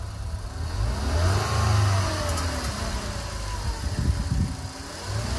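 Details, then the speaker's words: 2012 Ford Explorer, 2.0 litre EcoBoost, 93,000 miles, cold after sitting 6-8 hours, on deceleration: loose metallic rattle through the exhaust from the turbo. The turbo is being replaced at the customer's request. "they rattle right there that's it that's the turbo making all that noise at ninety three thousand miles not too bad yet"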